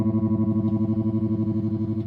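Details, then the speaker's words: 1974 Fender Super Six Reverb, 100 W ultralinear, six 10-inch speakers, during restoration after output tube component replacement: guitar tone chops into rapid even throbs, about nine or ten a second, at fastest speed and full intensity; tremolo too fast to be usable, to be slowed. "the one thing I'm not digging right now is the uh tremolo on this guy it's uh very fast you can hear you can hear the this is the fastest speed"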